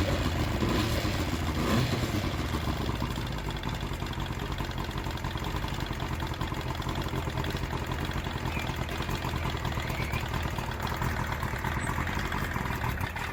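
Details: Johnson 70hp three-cylinder two-stroke outboard, unknown history, after carb cleaning, new plugs and fuel lines, run on water: buzzy steady fast idle with even beat, no stumbles, telltale pumping water; normal idle.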